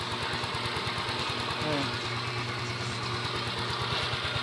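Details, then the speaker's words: Yamaha Mio Soul i 125S scooter, about four years old, idling smoothly and quietly after the engine was dismantled and rebuilt; the earlier cold-start ticking noise is gone. "Okay na siya tahimik"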